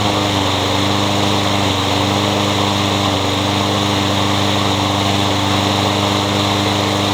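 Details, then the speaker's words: Curb-found Troy-Bilt 21-inch self-propelled mower with a newer Briggs engine, blade having hit a railroad tie: lumpy chugging with irregular stumbles and backfiring; owner plans to check timing and feels the blade hitting underneath; finding: sheared flywheel key throwing timing off. "so probably in a future video I'll check the timing on this it feels like the blade is hitting underneath and you heard a backfire like crazy there but it does run kind of"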